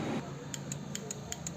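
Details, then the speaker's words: Suzuki Hayate motorcycle in neutral, self-start button pressed: sharp dry ticks about five a second with no cranking, won't start; starter found full of dust inside, worn brushes suspected. "मैं self का button दबाता हूं सिर्फ टक टक sound आ रहा है bike start नहीं हो रही"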